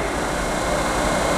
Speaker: Okay. Seems to work fine. Now, lathes in reverse typically are a little noisier, so don't fret if it sounds a little different. That's real common that they sound different.